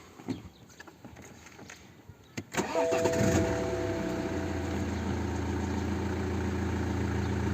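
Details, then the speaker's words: 2010 BMW 1 Series 118d, N47 2.0 diesel, engine light with codes 481A (particulate filter system) and 4810 (exhaust back-pressure sensor), loss of power: at idle the back-pressure reading barely varies, with a constant airy whoosh like an escaped air-hose nozzle, an exhaust leak from the loose DPF pressure hose. "Varía muy poco, y ahora mismo se acaba de escuchar el soplío que también el dueño nos ha comentado. Y se escucha como un soplío, como me recuerda como cuando en el taller se te escapa la boquilla de la manguera de aire y empieza a pegar latigazos."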